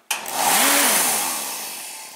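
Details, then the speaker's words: Torpedo heater fan motor after the exploded start capacitor was dealt with: it starts suddenly, with air rushing up within half a second and then holding steady. The fan instantly spins up in the right direction, a normal start. "just instantly takes off in the right direction"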